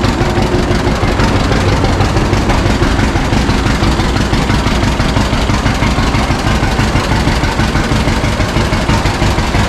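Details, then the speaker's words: 1952 John Deere G two-cylinder tractor just started after about four years stored, after refuelling the correct tank and fixing leaks; slow even putt about three beats a second, steady with no knocks or misses; owner says it always idled down really well: healthy idle. "pretty good an old so scratcher always did idle down really good"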